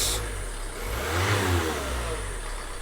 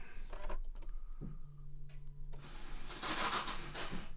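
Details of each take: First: 2014 Nissan Note 1.5 dCi diesel just after starter motor replacement: settles into even idle with brief smooth rev, no knocks or grinding; running normally. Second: 2014 Nissan Note 1.5 dCi (Renault engine), key turned to crank: light electric whir at steady pitch with no engine turnover; starter motor not engaging and faulty, needs replacement.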